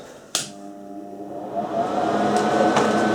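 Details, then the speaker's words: Rockworth gasless MIG welder: sharp click at switch-on, then steady transformer hum with faint clicks and no welding output; fault is a dead contactor, not a burned-out wire-feed motor. "I thought it would be a burned out motor so you don't need to get a new motor and a new Cog and all that stuff for that gearbox up there but none it's just a dead contactor"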